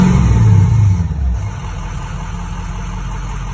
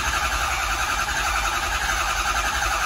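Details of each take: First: 6.0 Powerstroke diesel with a faulty ICP sensor; starter had randomly engaged until add-on wiring was unplugged; deep, even rumble rising with throttle blips and settling back smoothly, no starter clash; normal running. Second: 6.0 Powerstroke diesel, crank no start: steady cranking, no firing; ICP pressure jumps around and doesn't build to 500 psi, traced to faulty injection control pressure sensor rather than high-pressure oil pump.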